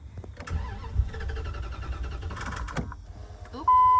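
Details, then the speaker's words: Project vehicle cranks for a few seconds without firing, then a dash chime; won't start, owner believes a fuel pump wiring issue is the cause. "all right so we came to the understanding um there's definitely a wiring issue with the fuel pump so we're gonna call it that"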